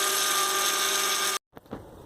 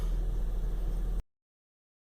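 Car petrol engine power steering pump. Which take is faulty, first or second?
first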